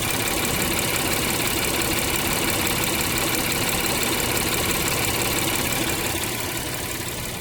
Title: 2019 acura MDX engine Noise after crankshaft change due to recall